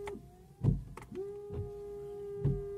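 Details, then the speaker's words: Opel Vectra C windshield washer: after a couple of clunks the pump motor settles into a steady electric hum, so it runs, but no fluid sprays front or rear; reservoir clogged with algae from chlorinated well water, fixed by cleaning. "vemos que la bomba si se oye cuando le pulsamos hacia abajo también soy del ruido y limpia tras el que no echa agua ni para atrás ni por delante"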